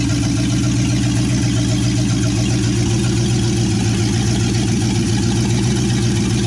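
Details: 1963 Chevy C10 with 355ci small-block V8 (350 bored .030 over), Turbo 350, reportedly low miles, second start after years sitting: loud, even low rumble from open manifolds at steady idle, no misses or stumbles; temp gauge not working, normal idle.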